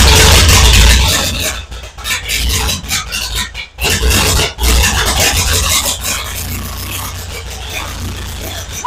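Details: 1936 Ford Flathead V8 in a belly tank racer, just revived after a new starter, plugs, fuel pump and carb rebuild, run briefly without cooling water. Loud open roar through blips and dips in revs, catching cleanly; healthy running.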